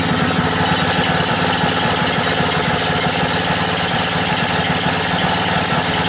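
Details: Single-cylinder gasoline generator converted to natural gas via a quarter-inch hose, gas valve opened slightly. Steady, even chug at constant speed with no misses or surging; normal idle on natural gas.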